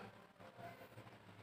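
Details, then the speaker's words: Refrigerator compressor restarted immediately after a brief power cut: low steady hum with faint rattle, vibrates but won't start; it starts if left off longer before power returns. "nah ini saya colokin dia nggak mau berjalan ya kompresornya ini bakalan hanya getar saja jadi nggak mau start"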